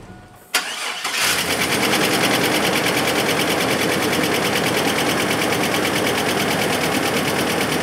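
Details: Chevrolet S10 after a GUNK motor flush that removed heavy oil sludge: brief crank, catches cleanly and holds a steady idle with light, even valvetrain patter and no knock; the earlier tick, first blamed on an exhaust leak, is gone.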